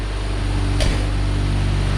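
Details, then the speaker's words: 1990 Ford Ranger with a remanufactured replacement long block, running cold: smooth, even idle with no ticks or odd noises; it misfires and shakes, dropping a cylinder, only once throttle is applied. Normal cold idle. "as you can see running smooth no ticks no weird noises anything like that when it's cold"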